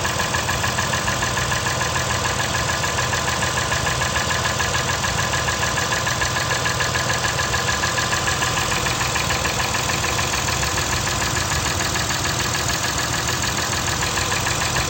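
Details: 2008 Acura TL petrol V6 at idle: steady, regular knock over engine note; dealer diagnosed piston slap in cylinder 5, owner suspected bad valve adjustment instead, unconfirmed.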